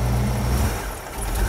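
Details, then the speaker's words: 1967 Mustang with a carburetted engine, revved during tuning: revs sag and go soft for a moment mid-blip, then pick back up; a stumble on acceleration suspected to be an accelerator pump problem, with a slight miss also present. "got that stumble on acceleration but i think that may be a carburetor problem you hear that that kind of thing right there is typically an accelerator pump issue"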